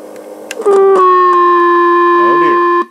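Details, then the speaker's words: 1960 Telectro MR511B reel tape recorder on a 9 V battery, 1000 µF capacitor across motor: loud steady buzzy howl when volume exceeds a certain point, amplifier oscillating; owner suspects a grounding issue. "one problem if amp has is this when the volume is beyond a certain point it makes that sound"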